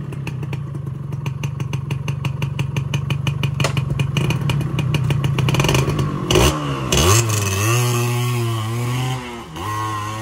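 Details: Yamaha 125Z two-stroke, first run after engine rebuild (damaged conrod addressed, magneto checked), stock exhaust: crisp popping rising cleanly on throttle and dropping away with no rumble on deceleration; normal running.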